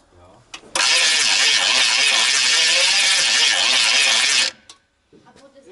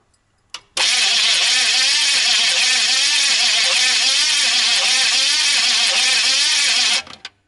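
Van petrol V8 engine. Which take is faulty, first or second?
first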